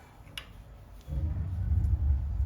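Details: Water heater after T&P relief valve replacement: pilot lit with button and spark held 30 seconds to a minute, knob turned to on; quiet, then about one second in a soft low roar starts and holds steady as the main burner lights and burns evenly.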